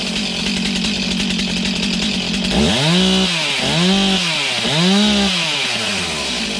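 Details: Stihl MS291 chainsaw, bought used online, just serviced; started after sputtering, it catches and revs up and back three times in clean, quick sweeps, running strong and even: healthy.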